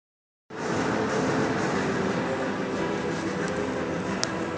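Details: 1997 SAAB 9000 Aero rolling with a steady rumbling growl from a bad left front wheel bearing hub assembly, which has visible wheel play.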